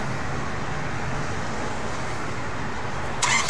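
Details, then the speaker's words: Renault Mascott 3, DXI 3.0L 150 hp diesel: the starter spins at a steady cranking rhythm but the engine never fires; a high-pressure gauge shows no rail pressure, and the injectors aren't leaking. "Здесь вы увидите запуск двигателя. В топливной рампе нет давления ."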